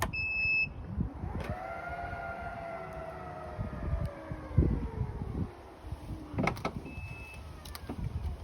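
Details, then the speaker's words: 2016 Range Rover Evoque HSE with an aftermarket power tailgate kit, control unit covered in tape: short high muffled beeps over a falling motor whine as the boot moves; the warning beeper is working normally. "and i'm glad i put the sticky tape over the control unit because you can still hear it beeping quite a bit"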